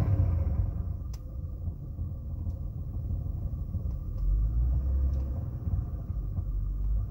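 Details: 2007 Saturn Vue 3.5L V6 AWD automatic, cold engine idling in park: light irregular clicking rattle over the idle. Louder when revved, changes or fades in reverse or drive, gone once warm. Failing air box engine mount found.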